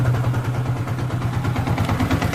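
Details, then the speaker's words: Hero HF Deluxe BS6 motorcycle idling: a dry, rapid khat-khat knock over the low engine thump, traced after teardown to a worn piston, to be replaced. "सुनिए दोस्तों, ये खटखट जैसा आवाज़ engine में से आ रहा है दोस्तों, ठीक है।"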